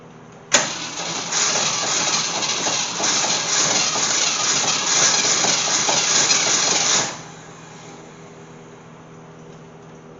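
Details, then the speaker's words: Gremlin that sat in fields for years, with a swapped-in unknown AMC 290 V8 from a 1968 Javelin, reused points, and fuel poured in: catches almost immediately and runs with a loud, slightly lumpy beat, starting again. "Here we go. Fire in the hole. Woohoo! We got life."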